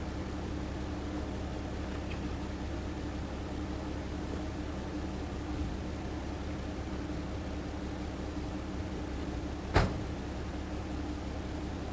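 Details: 1973 Chevy C60 fuel truck, 366 gas V8, idling from cold at about 10 degrees: low, even rumble with no misses, stumbles or knocks; normal cold idle.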